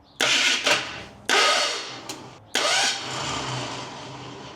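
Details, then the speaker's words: Big-block engine build: old starters engage in short heavy bursts, barely turning it and stalling, teeth slipping; those starters, at least 20 years old, lacked torque to spin the tight engine; new starter fetched. "those other two starters and minimum got to be 20 years old each and uh they just didn't have the torque to spin this thing over teeth were slipping off"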